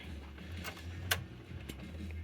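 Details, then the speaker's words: Decca portable record player after electrical and mechanical overhaul, changer reset to 33 rpm: a few soft mechanical clicks over a low motor hum as the arm senses the 33 setting and the changer cycles normally. "that should trigger the arm to basically sense that it it's not dealing with see there you go now it knows it's a 33"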